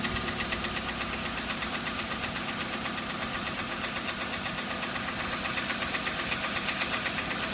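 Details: G4EE engine: crisp, regular knock of about 160 per minute ticking steadily over the idle; engine knock, cause still to be found.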